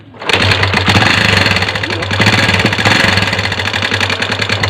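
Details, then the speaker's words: Kawasaki Barako 2 single-cylinder, started after cooling down: loud rapid metallic top-end clatter at idle; suspected oil not reaching the camshaft from a filter problem, checked by seeing if the cam area under the cover is wet. "Okay yan Mga pre ah kung naririnig niyo yung ng inay ano sa pagbukas natin ang cover na to Check natin kung basa kasi kung hindi basa yan may problema ang filter niya Hindi umaakyat yung langis"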